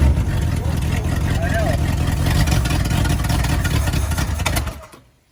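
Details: 1954 Buick Roadmaster, 322 nailhead V8, first run after 10+ years sitting: deep, uneven rumble for about four seconds, then shut off; rough running, and it makes unexplained noises after shutdown.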